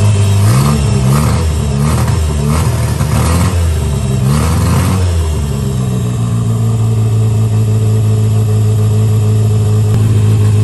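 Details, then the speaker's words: 1963 Austin-Healey Sprite 1098 after swapping the Weber for SU carbs, new spark plugs, ignition timing turned back to cure popping, started on choke and idle adjusted: clean throttle blips, then smooth steady idle without popping. Normal running; SU leaks fuel, probably needs gasket kit. "in fact I went ahead and even adjusted the idle and it was so simple and it just idled right down right now it's running really really good"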